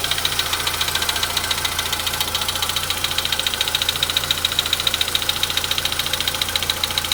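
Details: Cold start on a VW Polo Sedan at 93,000 km: at cold idle a sharp, very regular metallic ticking about three and a half per second sits over a quiet engine hum, source unidentified; engine knock on cold start.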